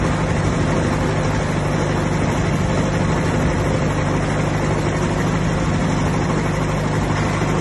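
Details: 1959 Massey Ferguson 85 tractor, first start in 5 years after new points, cleaned carburetor and new solenoid: low, steady rumble with an even beat, no stumbling; running normally.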